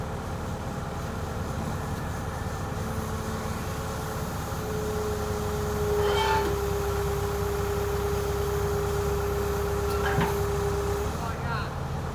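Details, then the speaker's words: Yale forklift with propane four-cylinder Continental flathead, just started after sitting many years: low even idle with a faint steady whine, no misses or knocks; running smoothly on its own. "Hey, do that again. Hey, she's going."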